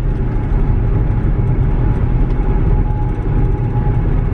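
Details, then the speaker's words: VW Touareg after a center driveshaft bearing fix, driving 75–90 mph: steady low road and drivetrain rumble, no rhythmic thump or vibration, car seat rattling in back, slightly worn tires; driveline normal. "90, and I'm not feeling any vibration."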